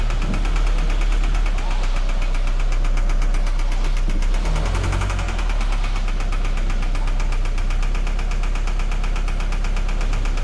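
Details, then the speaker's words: 2013 Scion FR-S petrol engine idling with a steady fast tapping knock and uneven stumbling beat; scan found a misfire on cylinder 4, teardown planned. "I don't know if you hear it, but Uh this is the car with a knocking sounds. So pretty much customer complaint you know with a knocking sound. So we perform hail check there is a misfire on cylinder number four uh during the inspection."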